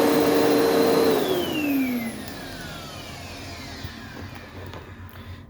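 Vacuum motor whines high and steady, then the pitch slides down smoothly as it spins off; nothing scraping or rattling, sounds normal.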